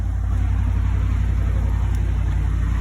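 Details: 2011 Ram 1500, 5.7L Hemi V8, no-crank complaint; fender-well-to-frame ground bypassed: V8 fires and settles into deep steady low rumble with even pulses, no stumbles; cause was slight corrosion on that ground, to be cleaned and greased; normal start and idle.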